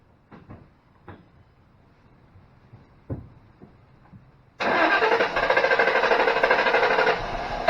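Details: 2005 Ford Mustang GT, died at lunch after driving to work: starter cranks evenly for seconds but never fires; no-start, mass airflow reading watched while cranking, codes P1000 and P061B seen, cause not confirmed.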